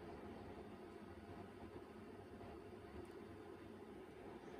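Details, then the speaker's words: Soft even whir with faint hiss and steady high whine, no clicks or scraping, as an external CMS hard drive (with system cooler) for a Macintosh Plus spins up before the Mac is powered on; normal spin-up. "we'll let the hard drive spin up before we power on the Macintosh Plus itself"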